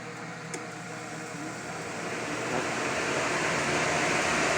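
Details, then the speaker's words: Chevrolet with cooling fan relay 1 commanded via scan-tool control functions: even rushing air builds steadily with no rattle or scrape; radiator fan spins up and runs normally. "so compression test cooling fan can we turn off our cooling fan pulling a fan relay one"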